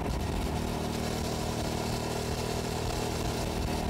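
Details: 2006 Hyosung GT650S V-twin on a test ride after carburetor cleaning, around 100 km/h, camera mounted on the bike: a steady, unbroken drone under wind rush with no stumbles or popping; both cylinders firing cleanly.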